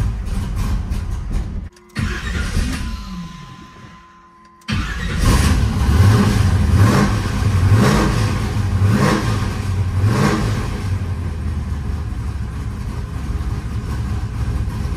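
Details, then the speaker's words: Cold start of a restored 1976 Pontiac Trans Am restomod with a 500hp 400 small-block Chevy: it catches after a hard crank with kickback, then idles lumpy with irregular pulses and poor rhythm, from over-advanced ignition timing. "however it doesn't sound right it sounds to me like the car has too much timing in it it doesn't have very good Rhythm"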